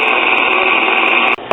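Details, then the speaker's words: Late-1930s Airline battery-operated tube radio on AM: hissy static with rapid irregular pops and crackles, interference coming from a nearby oven. "And whenever I turned it on, started hearing popping in the radio and stuff. Yeah, but everything nowadays is just an innocent condition AM obliterator."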